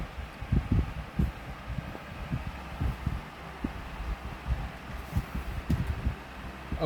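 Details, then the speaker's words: Lasko 16-inch wall fan model 3016 (2006-07), bearings freed after seizing, flimsy blade poorly aligned on hub: uneven low thumps and rattles over hum, still heavy at medium speed; blade imbalance vibration shaking the mount. "that is insanity ous though IM I cannot imagine having this on the wall that is horrible that is insanely horrible I don't know what with the balance on this one but I see better wall fans compared to this one but it's mainly an issue with this blade setand specific"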